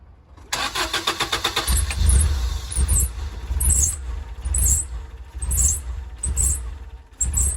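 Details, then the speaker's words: Rough-running used daily-driver engine after the fuses were put back in: the idle swells and sags about once a second and never settles. It runs fine with the idle air control valve unplugged apart from a 3k rpm limit; the IAC solenoid is suspected. "well so we've discovered that if we unplug the idle air control valve it runs fine minus the um 3k limit issue but apparently the idle air control solenoid down in there can cause that"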